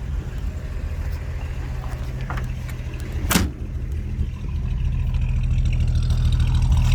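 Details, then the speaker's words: 1948 Chevy Fleetline 2-door sedan, heard by the exhaust, with a new battery, cleaned carburetor, replaced fuel pump and old fuel: even low rumble, typical sewing-machine sound, one handling knock, no smoke or oil burning; normal running. "Doesn't smoke. Doesn't burn oil. Engine sounds good. Typical sewing machine sound."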